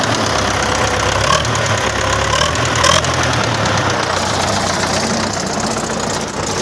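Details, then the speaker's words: Idling engine with irregular knocking under steady idle, no clear rhythm tied to revs; owner suspected camshaft, restored injection pump and injectors, no change, knocking for four years, cause not pinned down. "стучит короче думал взять шконка на распредвале нихера лобове ну снял нихера насосов отреставрировал форсунки нифига уже четвертый год вот так постукивает"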